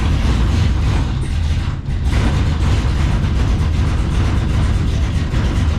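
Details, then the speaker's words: 1951 Chevrolet custom with LS1 V8 on Holley Terminator X Max, first start after re-pinning miswired coil harnesses and TPS reset: lumpy uneven idle that stumbles, sounding like a bigger cam; rough running, possibly a misfire, cause unknown. "It sort of idled, but not really. You can tell it sounds like it's got a bigger cam than it actually has."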